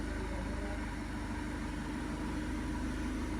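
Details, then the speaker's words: Seat Leon 1.6 TDI after timing belt replacement and coding new injector number three: quiet, steady idle about 210 beats per minute with no shaking or misfire; injector correction value improved from +180 to negative. "no shaking noise looking good looking good"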